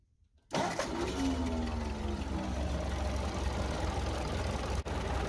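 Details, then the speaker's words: 1952 Ford 8N tractor, flathead engine with firing order 1-2-4-3: idles unevenly with an irregular stumble and a sharp dropout. A spark plug wire fell onto the exhaust manifold after a bump, melted, and arcs on the head bolts; the fix is new wires. "and has melted a hole and uh i don't know if i can get it to do it probably won't do it now that i want to do it i'll show you show you it was arcing on top of those head bolts"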